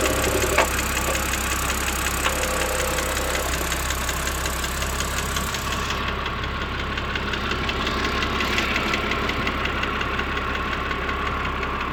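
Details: BMW 330i N52 petrol six idling steadily with a light, fast, even ticking that keeps pace with the engine, appearing 10–15 minutes after a cold start.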